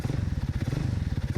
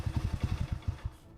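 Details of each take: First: Alpha moped (childhood bike, under 8-month restoration), small two-stroke idling: quick, even low putter with crisp regular beats and no misses; crisp throttle response, no stalling at idle, owner tentatively credits the carburetor; normal idle. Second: Alpha moped (childhood bike, under 8-month restoration), after a loose part was found untightened: a few uneven low putts that fade within about a second; engine doesn't respond to throttle, owner blames the carburetor, cause unconfirmed.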